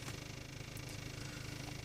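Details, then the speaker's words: 1.8 TSI at cold idle, no fault codes. Faint uneven buzzy rattle and vibration heard only inside the cabin, around the lower right side near the glass. It stops with slight throttle and once warm; cause unknown. "странный звук в салоне автомобиля такое ощущение как будто я не знаю что то дребезжит и слегка вибрирует по стеклу"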